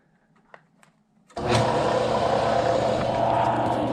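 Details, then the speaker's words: Craftsman 101 12-inch lathe motor on temporary mount with adjustable belt: starts with a thump, then steady hum with coarse rough edge; strong vibration felt in motor, possibly worn bearings, pulley possibly slightly out of round. "Alright, we've got some vibrations in the motor, and you can feel it really bad right there."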